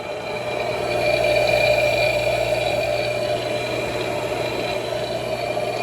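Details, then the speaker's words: Vintage L&A electric pressure washer barn find, after wiggling a stuck contactor free: steady, even motor hum with a constant mid tone and no speed changes; belt-driven pump motor running smoothly. "Motor's running pretty smoothly. So that's good."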